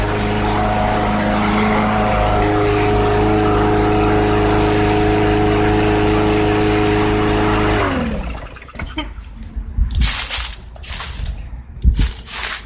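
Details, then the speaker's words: 2014 Bolens/MTD 11A-BOBL765 push mower, 140cc Briggs & Stratton 500 Series engine, no-start caused by old fuel, after fuel tank clean-out: steady, even drone, no surging or misses for eight seconds; running properly. "there you go old fuel does it to you every time all right well that's running great couldn't ask for no better it's ready to mow grass there okay"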